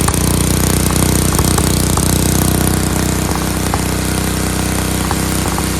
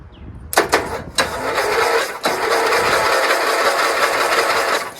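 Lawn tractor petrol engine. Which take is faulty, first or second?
second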